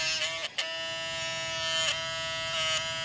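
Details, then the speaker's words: G-body car door power window motor, a new replacement unit: a steady high motor whine cuts out and stutters back several times as the motor jams and must be jerked loose, moving up or down a little then stopping; internal motor jamming. "t's the motor just jamming up and what has to happen is I got to keep jerking it jerking on this to break it loose so so it'll work see how it work a little bit and stop that's exactly what it kept doing the whole time I had it"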